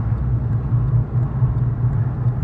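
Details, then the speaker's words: Car hums while driving after wheel bearings were already replaced: low steady hum with a faint pulsing on top; another mechanic blamed the drive shaft, but wheel bearings are suspected, possibly badly installed ones, front or rear not yet determined. "él me dice que es la flecha Oiga pues ese no es sonido de flecha señores ese sonido de Valero será que instalaron malos baleros señores"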